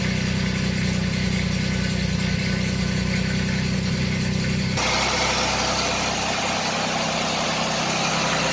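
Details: 1989 Chevrolet Celebrity 2.8 V6, 173,000 miles, first start after lower intake manifold gasket repair, before oil change and coolant refill: engine catches and settles into a smooth, steady idle with an even low hum, no stumbling; normal idle.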